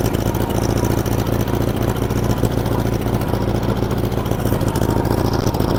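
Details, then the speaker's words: 1947 Farmall Cub on a replacement engine, the original having been frozen and busted. Chugging idle with an uneven beat that skips a firing now and then; a steady miss because one valve is stuck. "And yeah, it's pretty sweet. It miss It's missing cuz one valve is stuck, but it's pretty sweet."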